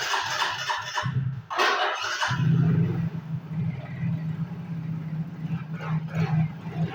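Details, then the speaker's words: Yamaha Mio GT that previously would not start (dead): after the fuel pump pressure check, it catches after a few short cranks and settles into a steady, even idle hum with no misses. Normal start and idle. "Oke, di sini motornya sudah bisa nyala atau bisa hidup ya. Nah, seperti ini keadaannya."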